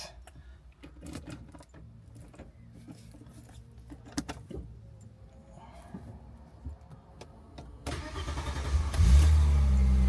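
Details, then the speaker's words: Audi 80 2.6 V6 after timing belt and water pump kit replacement and oil change, first start: cranks, catches and settles into a steady, even idle with no knocks or ticks; job done. "Started. It's running. And that is the Audi all done."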